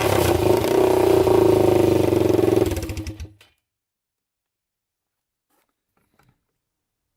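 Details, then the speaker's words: 1999 Honda 400EX after engine rebuild with new piston, first start, airbox on: single-cylinder thumps evenly about four beats a second, then shuts off cleanly, no smoke seen; normal running. "it seems to run really good i didn't see smoke coming out of it"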